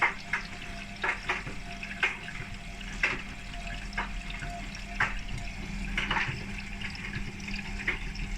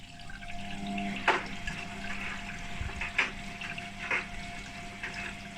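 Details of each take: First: Nearly 20-year-old Hotpoint WMA32 washing machine after repair, starting program K (cold) with two hoodies, one with a zip: water sloshing with a sharp tick about once a second as the drum turns, likely the zip. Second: Hotpoint WMA32 washing machine, nearly 20 years old, after repair, starting program K (cold wash) with two hoodies. A quiet hiss and trickle of water filling the drum over a faint steady valve hum: normal fill.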